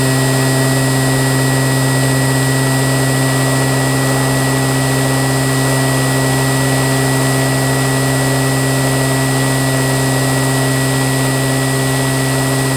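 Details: Qualcast electric motor after rebuild running with a steady, even hum of constant pitch, no knocks or grinding; normal running.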